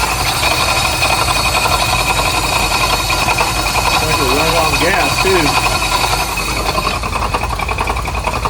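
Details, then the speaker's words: 1983 Chevy C10 V8 parked since 2002, with a new distributor and starter and timing possibly off: rough running with an irregular clank about two or three times a second. Oil pressure is unknown. Something loose is suspected, and the source is unconfirmed. "Got something funny going on here. Probably tighten that up, I suppose. See if that stops the clanking noise."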